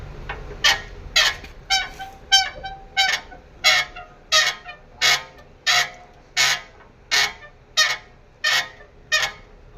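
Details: Sharp honking squeaks about one and a half times a second as the suspension is rocked on OME BP51 shocks; worn spherical shock bearing, shocks to be removed and replaced on both sides.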